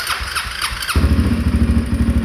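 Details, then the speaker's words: 2013 Honda Rincon 680 ATV after new cam installed and broken in (cam seemed locked): brief crank, then firm even idle with low steady thump; free-flowing exhaust pops occasionally, possibly fuel-related. Normal start and idle. "Yeah, sounds good. That exhaust is a little free-flowing, which makes it pop here and there, like that."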